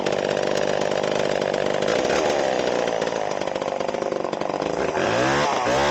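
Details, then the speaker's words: Vintage Stihl 011AV chainsaw, non-runner just started, tank vent missing: runs fast and ragged with metallic clatter under the buzz; exhaust muffler completely loose and clanking, needs fixing before further diagnosis. "Uh, but I did see a problem here, and that's the exhaust is just completely completely loose. You can hear it clanking around in there."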